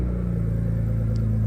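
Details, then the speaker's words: BMW E82 1 Series running on its own after repair, with an earlier misfire gone and one sensor still unplugged: steady, even low idle with a smooth rumble and no stumble; normal idle. "But there it is. Idles fine. Runs good. Stays on on its own."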